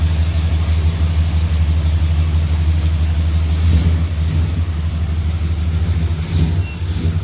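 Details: 400 big block long-bed truck outside with new spark plugs, after the head came off to fix the exhaust bolt holes: deep, steady V8 rumble with even low pulses and smooth rev changes, no knocks or misses; healthy.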